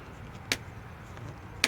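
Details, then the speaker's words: Bicycle cockpit with articulated stem, shims and handlebar taken from another bike: two sharp dry clicks about a second apart, stem and handlebar creaking under load; owner plans to replace the stem and handlebars. "in my cycling videos you guys probably hear a whole lot of rattling and creaking see if you can hear"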